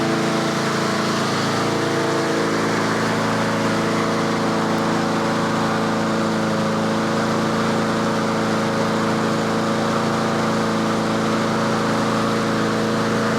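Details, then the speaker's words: Yard Machines/Yard-Man 21-inch self-propelled push mower at tune-up, choke off, warming up: steady, even drone at constant fast speed with no misses or surging; about 3300 rpm by inductive tachometer, healthy at set governed speed. "so that's the inductive attack it's running about 3300 that's where i normally set them"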